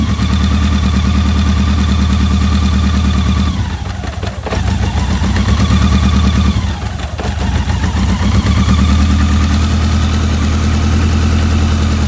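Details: BMW K100 four-cylinder whose no-start was caused by a dirty #4 injector plug: it idles evenly with a low steady hum and two brief dips in revs, otherwise running cleanly.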